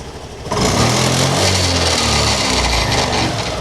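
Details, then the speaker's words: BS6 Honda Activa scooter: revved hard, then on throttle release a dry crackling rattle from the gearbox; suspected worn gearbox bearings or gears binding near the kick rod, clutch to be opened to check. "Race చేసి వదిలేసిన తర్వాత కరకర కరకర అని sound వచ్చేస్తుంది"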